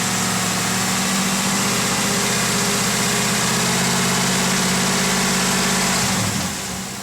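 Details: 2007 Trailblazer SS V8 at idle: light, quick tick about four per second running steadily over the engine; owner suspects lifter tick, not confirmed.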